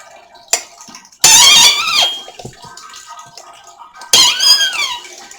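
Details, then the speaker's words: Newly bought apple press, screw turned down on chopped apples under load: two loud, high, whining squeals. "when you got it cut and chopped up that well it really helps get the juices out and you can hear that thing squeak she's moaning she"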